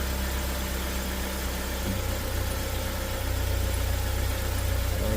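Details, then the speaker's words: Chinese Joylong bus/van, cold, running on petrol rather than alternative fuel, idling rough: its low beat stumbles and skips with small speed shifts, misfire-like, and the customer reports stalling and power loss. "so I'm noticing the rough Idol that the customer is experiencing yeah is oh okay it's like it's skipping"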